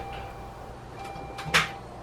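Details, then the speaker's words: 2005 Saturn Ion 2.2L Ecotec with a charged battery and normal voltage, Bosch starter only a year or two old: one sharp click when the key turns, then no cranking; starter clicks but won't turn the engine, jump start didn't help. "okay the batteries charged up and that the voltage is normal but all we get is this click"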